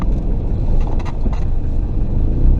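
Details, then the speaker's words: Exhaust leak at the flex pipe on a 1996-2000 Toyota RAV4 with 3S-FE engine: ticking right at startup, then a deep raspy rumble that grows louder while driving slowly; fixed by welding. "so this is what the exhaust leak on this car is gonna sound like right when you start it up here we go now you can hear it kind of ticking"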